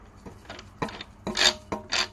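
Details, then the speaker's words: 1992 Honda GSR cable transmission, removed from an 88 Accord and turned by hand: rough, gritty scraping bursts with each spin, like a broken bearing with debris inside; owner plans a full rebuild. "hear that nasty noise in there so i'm just gonna fix it rebuild the whole [ __ ] and then put it back in"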